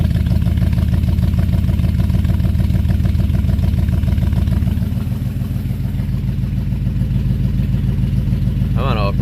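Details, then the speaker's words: Buick 350 V8 after oil pump change and lifter work, cold start on choke: deep, uneven thump at fast idle with lumpy pulses wandering in strength; runs rough, owner suspects the pump, a new exhaust leak and a squeak. "I think that pump's giving me more trouble, but it's running. You guys can hear it."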